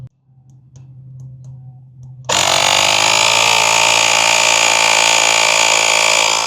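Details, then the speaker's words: JF.EGWO 6250A jump starter's built-in compressor set to 80 psi, inflating big tires: a few faint ticks, then a loud steady high buzz that holds even while filling; healthy compressor, rated to 150 psi but slow on empty tires. "This one does 150, so it'll do these tires, but it will take you a while, especially if you're totally empty."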